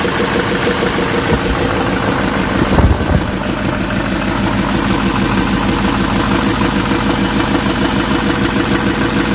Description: 2007 6.6L lmm Duramax Diesel engine knocking parked at idle Chevy 3500 Silverado truck with GMC Sierra front clip. Crankshaft bearing won out.